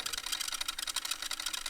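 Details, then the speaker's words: Denon DRM 650S cassette deck playing: fast, uneven high-pitched ticking and squeaks, several clicks a second from a dry, sticking transport; belts or lack of lubrication suspected, not confirmed. "You hear that? The squeaking and the clicking. I don't know if it is actually a belt issue or whether it's just because it hasn't been used for ages. It's making all these like horrible noises."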